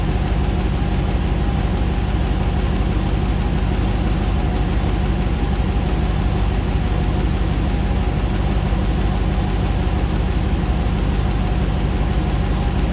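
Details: 2009 Hemi 1500 TRX4 auction truck, first start after months of rebuilding: steady even V8 idle, about 87 psi oil pressure, settling smoothly while warming up with no knocks, misses or jerking like before; normal idle.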